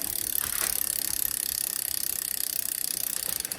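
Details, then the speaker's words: 2004 Klein Aura X road bike, Shimano 6500 double front derailleur on newly installed internally routed cables, in big ring with the big rear cog: crisp clicks as the chain shifts up, a little trim, then back down, with quiet freewheel ticking and no rubbing. "When I shift it up, it goes up in the gear, then there's a little trim, go back down. This is a double, so don't have to worry about the triple aspect of it. Have a little bit of trim, and it doesn't rub."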